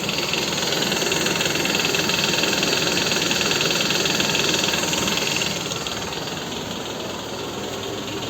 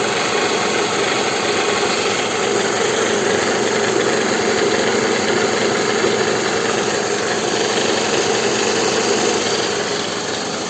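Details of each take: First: Toyota Estima engine at idle, accessory belt removed, listened at front lower engine near the pulley: steady regular knock two or three times a second persisting without the belt, not compressor; noisy balance shafts. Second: Toyota Estima 2R engine idling after the balance shafts were restored, to fix a knock at the front lower pulley area: a steady, even idle with a constant background whir and no knock, sounding healthy.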